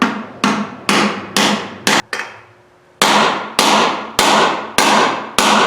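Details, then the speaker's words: 2009 Ford F750 air ride conversion, driving bearing race into axle hub with hammer; blows every half second, ring turning sharper and more solid after a pause. Bearing race fully seated. "hear that definite telling difference i think it's in there but i like to hit it a few more times"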